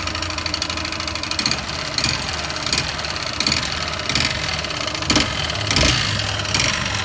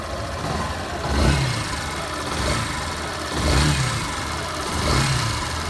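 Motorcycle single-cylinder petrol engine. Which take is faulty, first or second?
first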